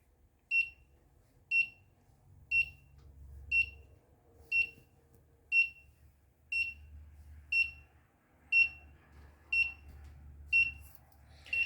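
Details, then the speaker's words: Stovetop monitor project using a Particle Argon, stove just turned off but average temperature not falling fast enough: sharp high buzzer beep once a second, twelve in a row, still in its red over-temperature alarm. "so it appears that the buzzer isn't going to turn off as average temperature hasn't fallen as rapidly as i hope"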